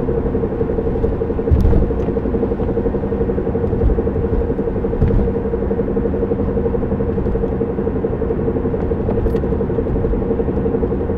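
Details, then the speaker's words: 1993 Honda Civic EX coupe while driving: steady droning hum and low rumble, owner describes a scouring, scraping and knocking mixed together; owner suspects a bad wheel bearing, unconfirmed. "It's like a knock and a scrape. All put into one. It just sounds like. It's like a scouring and a scraping and a knocking all mixed into one."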